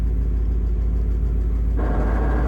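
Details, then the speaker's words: Manual gearbox on the TRKYCHT car, owner suspects bad input shaft bearing: idle rumble gains gritty whirring once clutch is released in neutral, tested clutch in/out before removal; removed unit later shows bearing groaning. "Pretty sure that the input shaft bearing is bad or something in that area. Um, pretty sure it's the bearing, but let's do some testing"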